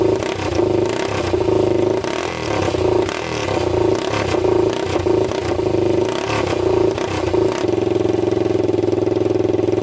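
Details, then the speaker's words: 1999 Honda 400EX quad, freshly rebuilt engine (new piston, rings, gaskets) on first start, muffler off, before air box fitted: single-cylinder picks up crisply on throttle blips, returns to even idle, no misses or knocks; normal running. "all right well it's starting um we're gonna put the air box on"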